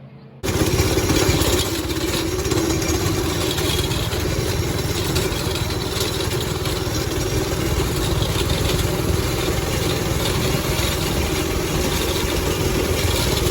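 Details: Go-kart with a 5.5 hp Briggs & Stratton engine after the throttle cable repair, warming up: steady, even single-cylinder putter at one speed with no misses or knocks; normal idle.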